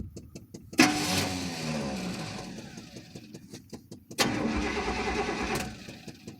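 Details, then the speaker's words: 1994 Chevy K2500 pickup, 350 5.7 L: two short starter bursts with no fuel pump hum and no firing; fuel pump fuse missing entirely, since a bad pump would still hum; no start from missing fuel pump fuse. "Any humming? Nope. Alright, so if it was a bad fill pump, it'll still make a hum. It's just a very shitty hum, so it's not the fill pump."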